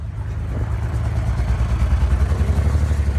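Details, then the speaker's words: BMW 335i on a morning cold start, plugs changed 2.5 months ago: a deep engine note with an uneven, throbbing pulse that grows stronger. Sounds like a misfire; the owner suspects a coil pack or fuel injector, and an injector caused it before. "Sounds for sure like a misfire."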